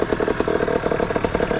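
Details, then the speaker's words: Rebuilt 50cc two-stroke motorcycle engine idling on first start after repair: quick, even putter about fourteen beats a second, no misses or knocks; clean steady idle. "Ça a l'air de bien tourner, hein. Bon bah écoutez, je pense qu'on est bon."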